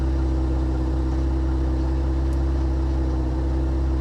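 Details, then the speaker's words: 2025 Ram 1500 Rebel twin-turbo inline-6, 2,500 miles, listening at the exhaust after an earlier misfire: steady, even low idle with no stumbles or missing beats; not misfiring at this moment, to be monitored. "no it's not misfiring I'm just going to have to keep my eyes on this is what I'm going to have to do"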